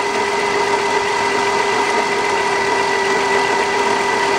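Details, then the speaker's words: 2002 Dodge Caravan 3.3 L with battery dying overnight, charging around 14 V: steady rough rasp and faint constant whine at the alternator, grinding felt by hand; worn alternator bearing. "i can hear some grinding in the uh alternator and i can also feel it when i put my hands over there i can just feel it hitting itself and actually here"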